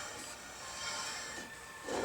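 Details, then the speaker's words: Fabricated single-piston brake caliper bracket on a kingpin Datsun 620 truck, tested with no spacer fitted. A faint, dry metallic scrape swells as the rotor is turned by hand; the rotor is rubbing on the caliper bracket. "And I did push those in when I put them in and tightened them. Okay, you can hear it scrape there."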